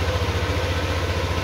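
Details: Honda Vario 150 smartkey scooter idling after an ECM replacement and registration: steady, even low putter with regular firing pulses, no knocks or misses; normal healthy idle.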